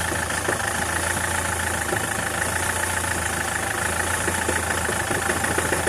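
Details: SsangYong Kyron diesel idling: steady idle with uneven dull knock about every second and a half underneath, worn dual-mass flywheel with excess play, replacement.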